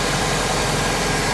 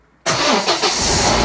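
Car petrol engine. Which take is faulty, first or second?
second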